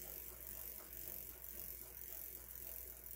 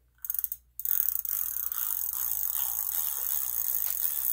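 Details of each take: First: Huffy Trail Runner full-suspension bike freewheel after fixing, without opening it: soft, light pawl ticking at a relaxed spin; the earlier popcorn-like popping is gone, smooth and quiet. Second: Huffy Trail Runner bicycle freewheel spun by hand: loud, fast, gritty ratchet buzz from a dry, rough freewheel, getting quieter as it is filled with Tri-Flow oil.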